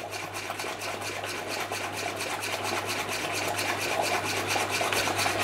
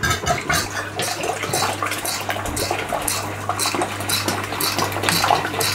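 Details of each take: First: Stuart Turner piston water pump after fitting a new home-made aluminium pulley on its 1425 rpm motor: even strokes a bit over two per second over steady motor hum, higher flow, measured about 260 rpm versus rated 240; gland still leaking. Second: Stuart Turner piston water pump driven by a 1425 rpm motor on the old small pulley: steady low motor hum under a slow splashing, clattering stroke about two a second, measured around 125 rpm against a rated 240.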